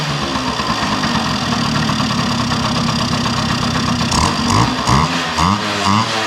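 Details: 1971 Yamaha Mini Enduro two-stroke after carburetor cleaning, muffler now tightened with its washer installed: crisp, even burble settling into a steady idle with a few light blips. Normal two-stroke idle.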